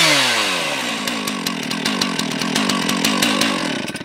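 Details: Fire brigade chainsaw with normal chain, run cold: revs high then settles into an even, quick putter with a light rattle, noted as rattling a bit; runs normally.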